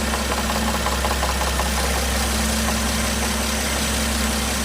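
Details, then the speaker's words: Toyota 1JZ-GTE VVTi fully warmed, idling with a loose, uneven rattling knock from the camshaft; it fades with more rpm and stops when the camshaft is pushed forward with a stick. "так гремит распредвал. То есть я вперед толкнул, звук пропал. Опускаем, начинаем греметь."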